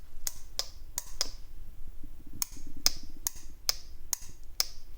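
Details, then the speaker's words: VVT solenoid removed from a Jaguar engine fitted in an MX5, bench-powered at 12 volts in a quiet room: crisp clicks in bursts, about two a second, as it switches on and off; the solenoid works normally, its filters undamaged. "hear it's clicking on and off it's in much better condition than the other scrap motor they have it's a lot cleaner there's no damage on the filters"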